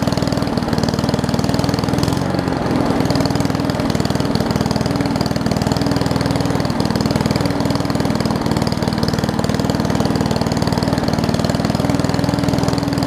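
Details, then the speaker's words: Old Murray push mower with a Briggs Classic single-cylinder, fuel tank swapped from another mower and oil topped off. It gives a slow, even, low thumping putter well under normal speed; the idle sags, apparently from a missing governor spring. "all right so it's uh running okay i guess um the throttle here looks like it's missing the governor's spring so well if i just want to pull this throttle out a little bit more just so that it has a little bit more of an rpm to it"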